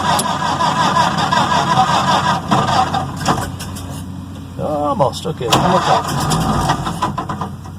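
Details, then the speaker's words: Restored 1931 Ford Model A, first start of the day, possibly slightly warm, choke pulled; slow, uneven starter cranking around eighty turns a minute that never catches, with the owner thinking it needs the spark advanced more and a little more hand throttle. "no what so I probably have to my start my spark a little bit more let's try that maybe give a little more hand throttle to get the gas and a little bit better so let's try that"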